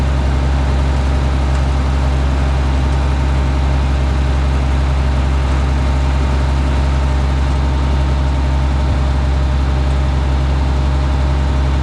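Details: Minneapolis Moline G900 LP tractor, running after bird nest twigs were cleared: a deep, steady idle with an even beat and no misses or knocks; running smoothly.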